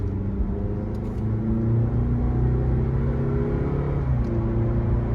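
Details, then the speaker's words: 2015 Toyota Venza 2.7L 4-cylinder AWD test drive at about 50–60 mph after replacing the left rear hub assembly: steady low road rumble, the former humming/howling that grew over 50 mph is gone; wheel bearing now quiet. "by now at 6 50 miles per hour I would hear some kind of howling noise but it's gone"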